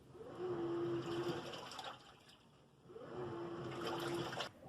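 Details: Washing machine in wash cycle: back-and-forth agitator strokes with soft motor hum and water sloshing between; even, unstrained agitation.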